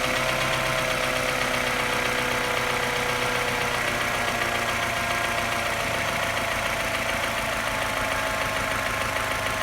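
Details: Engine sounds fine at higher revs, but as revs drop to a low idle a light tapping grows louder and the pitch sags and turns uneven with misfiring, like a London taxi. The cause is unknown.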